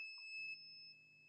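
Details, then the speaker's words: Lenovo IdeaPad 320-15ISK motherboard with no power, 19 V present at charging port: multimeter in diode mode gives steady unbroken beep at current sensor/second MOSFET output; main 19 V power rail shorted to ground. "beep 0 on the current sensor here have a current sensor here is biing with ground that mean the main 19 Vol power line is to ground"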